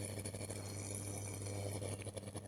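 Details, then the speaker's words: Electric hot water bag refilled with lightly salted water, heating on mains, gives a steady hum with fine irregular crackling and sharper snaps as sparks form; this is normal and not a fault. "सकते हैं, इसमें चिंगारी निकल रही है। लेकिन इसमें कोई समस्या नहीं है।"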